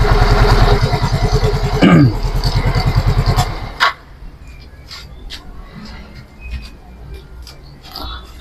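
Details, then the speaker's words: Yamaha Mio M3 scooter after replacing the camshaft bearing and checking valve clearance: even, regular putter at steady idle with no rough knocking, then shuts off; the earlier rough engine noise is gone. "jadi ee untuk suaranya sudah udah hilang ya nah ini untuk motornya udah sembuh ya untuk suaranya udah hilang"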